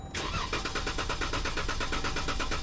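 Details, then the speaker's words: Pentastar engine with about 200,000 miles, brought in as a no-start: steady rhythmic starter cranking at about eight turns a second with no firing or catch; the mechanic suspects a fuel problem, unconfirmed. "it just sits and turns over. Come on, stop. Without looking at this, I'm gonna take a wise guess at what may be going on with it. I think it's fuel related."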